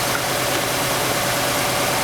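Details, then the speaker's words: 1999 Honda Accord 2.3L, an auction car with a bad misfire: rough, ragged idle with an uneven stumble. Pulling each plug wire showed no RPM drop on cylinder 2, identifying it as the misfiring cylinder. "So now if you think about that, pretty easy test to identify what cylinder is misfiring."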